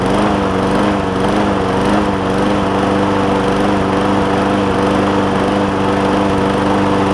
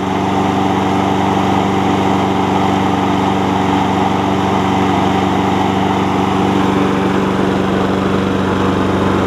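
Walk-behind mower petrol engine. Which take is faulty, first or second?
first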